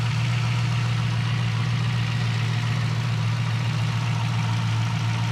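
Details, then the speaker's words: Healthy VE SS Ute V8 on a cold idle: deep, steady, even firing with only light cold valve-train chatter, no lifter tick, rattle or idler-pulley bearing noise; engine sounds good. "And it actually sounds pretty good, this motor. We may have had a Wednesday motor as opposed to a Monday or a Friday."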